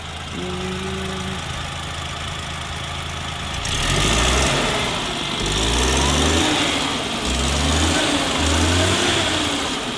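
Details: 1988 Suzuki Jimny 550cc turbo, idle and several throttle blips: light tick under an even idle, said to be typical of these Suzukis; normal valvetrain ticking at idle.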